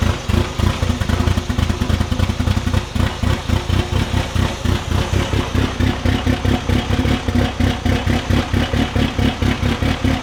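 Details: Fully built 4G63T in a mid-engine Eclipse at first start, O2 sensor unplugged so the ECU was over-fuelling: heavy, lumpy idle pulsing about four times a second, like a big-cam K-series. Fuel pressure and tune changes didn't cure it; cause unconfirmed.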